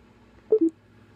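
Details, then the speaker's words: Bose SoundLink Mini speaker that won't turn on or pair: two short falling tones on plugging in and unplugging the charger, then only faint clicks; owner suspects under-volting or rain exposure after being left in a car, cause unclear. "my Bose mini soundl speaker is I think broken cuz well if you listen it's this thing this when I plug it in it has the sound when I plug it in and when I take it"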